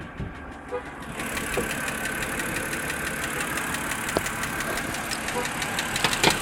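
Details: Car engine after its second start of a chilly, rainy day: irregular light ticking over idle that increases with throttle, suspected mechanical, disappearing after 15–20 minutes; cause unknown.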